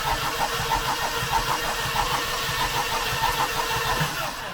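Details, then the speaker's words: Mercedes 190E 2.3 16v Cosworth Evo, long abandoned, cranking with the plugs out and no fuel for a compression test: lumpy, uneven starter beat around ninety-five a minute; one cylinder shows only about 5 psi, suspected locked-up part. "Think and have no compression! There's about 5psi. There must be something locked up, because it doesn't smoke."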